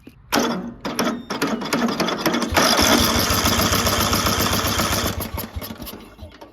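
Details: Murray riding mower after pulley replacement: a few rough cranks, then the engine catches and settles into a steady, even chug; mower drives with torque though slowly, brakes not working; engine sounds healthy.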